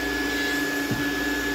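Steady, even motor whine with a strong, constant rush of air and no surging; the small vacuum is pulling freely.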